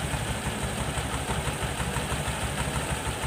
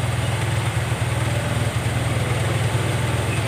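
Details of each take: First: Honda Vario 110 carburetor scooter, repaired for abnormal idle with broken parts and swing-arm bushing replaced: even, steady low putter, no hunting up or down; idle now normal. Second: Carbureted Honda Vario 110 (Vario Techno) scooter: low putter idle that keeps rising and falling on its own. Hunting idle.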